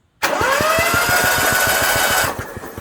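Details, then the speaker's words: Onan 5500/7000 Marquis Gold RV generator after service and carburetor cleaning, spark plugs out, previously would not turn: even, steady cranking with regular compression pulses and no binding or scraping; normal cranking. "Okay, now remember before we started this process, when we cranked it, that did not turn. Now it turns like it's supposed to. Alright, everything's cranking over good, so now we'll put the spark plugs in and maybe see if it won't start."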